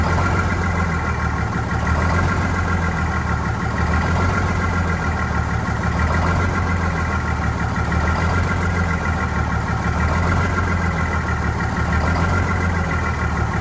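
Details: Vintage diesel bus on a very cold day, heavy idle with an uneven, lumpy lope about every two seconds; rough idle while re-priming, clear fuel-line section showing air, suspected air in fuel, unconfirmed.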